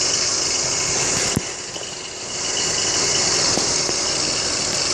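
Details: BMW X3 E83 engine at idle: steady high-pitched hiss-whir over a quiet idle with faint uneven ticking; owner suspects tensioner pulley or water pump bearings, source unconfirmed.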